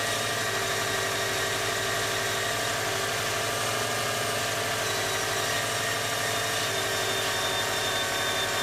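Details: Recently, at engine start on cold mornings, a scraping rub is heard from the rear of the engine, not the front fan-belt side. Steady idle with a hissy scrape over the engine; cause unknown.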